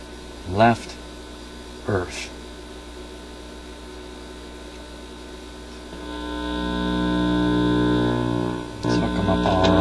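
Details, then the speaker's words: Admiral suitcase record player with a new, out-of-box replacement stereo cartridge: constant low mains hum with a couple of thumps from handling the leads, one channel silent; dead cartridge channel, cartridge faulty. "here goes the signal one now cartridge is bad H it's a stereo cartridge so let's try the other the other side here"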